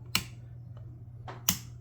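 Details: Failing household dimmer switch making two sharp snapping pops over a low mains hum as the dimmer is lowered and raised; it is to be replaced with a new-old-stock dimmer.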